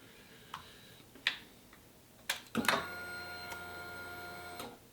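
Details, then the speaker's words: 2004 Honda VFR800 after installing an aftermarket fuel pump motor to fix pump failure: a few clicks then a steady high electric whir about two seconds before cutting off; pump primes normally, which it didn't before repair. "hear that that's a good sign didn't do that before"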